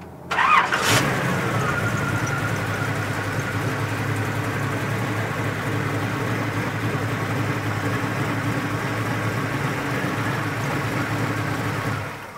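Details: 1939 Ford Deluxe Coupe street rod with Chevy small-block V8 (described as 350, called 327), 350 Turbo automatic: quick crank, catches at once, settles into smooth even idle rumble, no ticks or misses; normal start and idle.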